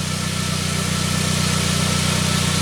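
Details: 1999 Saab 9-3 after its crank-no-start from a weak sensor signal was repaired; the signal now reads 1.3 V cranking versus about 200 mV before, and 6.3 V running. Even, steady idle with a regular low beat and no misses or knocks.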